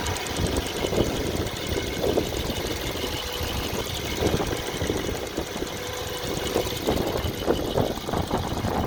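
Quiet idle with irregular, sharp knocks popping through every second or so, coming and going rather than keeping strict rhythm.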